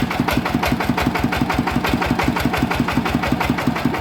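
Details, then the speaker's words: Yanmar 160 diesel engine idling: heavy regular knock nearly three times a second over the idle beat; bearing failed and loose, spinning in its housing; worn engine bearings. "น่าจะเป็นลูกปืนแน่นอนนะครับครับผมอ่ะนะครับก็รั่วมาแล้วนะครับสำหรับเครื่อง160นะครับปืนมันตายรู้แล้วครับว่าสาเหตุเกิดจากอะไรนะครับ"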